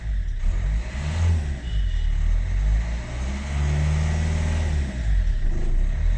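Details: 2010 Hyundai Verna 1.5 CRDi U1 diesel after Liqui Moly Diesel Purge in the tank: a deep diesel note climbs and falls smoothly through each blip with no knock or rattle; the idle is softer and less harsh than before.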